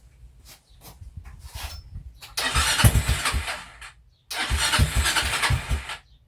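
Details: TrailMaster 300 XRS go-kart with a carburetor cleaned after sitting and one carburetor hose still unconnected: engine catches in uneven spurts, revs on throttle, then dies twice and won't hold idle. Cause unconfirmed; later carburetor adjustment let it idle. Rough running, stalls without throttle.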